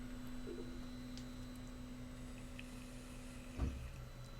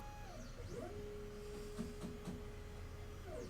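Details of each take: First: Diode laser engraver framing at 445 speed: steady faint motor hum, then one dull thump as the gantry hits the end rail, too light to trigger the shock alarm. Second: Diode laser running a framing pass in LightBurn at 10,000 speed, 399 × 445 bed size, set up to avoid the shock alarm (Alarm 1 / GRBL error 9): stepper whine rises and falls with each move, steady tone while travelling, no bang or stall. Clean framing run.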